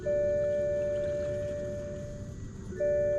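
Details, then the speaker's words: 2008 BMW 535i E60, ignition on, engine off, during coolant bleeding after upper radiator hose replacement: electronic ding fades over about two seconds then repeats; normal dashboard warning chime. "And listen to the annoying ring of these BMWs."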